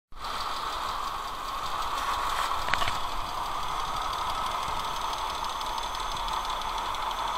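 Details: Mercedes M112 V6 idling on old worn-out oil: fast light clatter of hydraulic lifters ticking over the hum, before changing to Liqui Moly 10W-40 via oil extractor, which makes the knock disappear.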